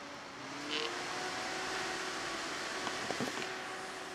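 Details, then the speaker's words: Enermax Liqtech 120X AIO CPU cooler, fans on the OC (maximum) setting: loud, steady rushing airflow with a faint even hum, no ticking or rubbing. Pretty loud but running normally. "on the OC setting you can hear those fans are pretty darn loud real strong"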